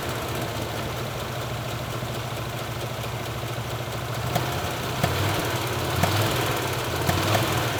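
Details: Backfiring V8, warm engine, all plug wires connected, baseline run before disconnecting the number 6 plug wire: idle hunts unevenly with sharp pops about every second; rough, backfiring idle, cylinder 6 suspected.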